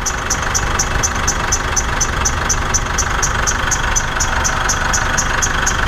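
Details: Mitsubishi Triton diesel at idle, a noise heard in the mornings: a sharp, high chirp about three times a second, locked to idle. The belt isn't slipping, and there is surface rust on one idler. Drive belt squeal.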